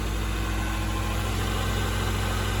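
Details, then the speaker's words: Integra after temporary exhaust patch, slip-fit pipe with three clamps replacing rotted resonator ends, not yet warmed up: steady even low idle, smooth exhaust note, no puffing or ticking, quiet underneath; no leaks. "and I can see it's all engine noise there's no steam coming out by the cat no steam coming out here sounds quiet underneath"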